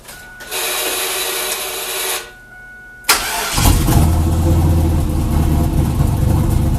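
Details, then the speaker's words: 2000 Chevrolet Camaro F-body with junkyard 5.3 LS V8, TH400 and modified turbo kit, 1000cc injectors with corrected injector data, fuel reduced and throttle body opened: short starter whir, then a quick clean catch into a steady even idle; normal start. "it starts right up no problem hell yes"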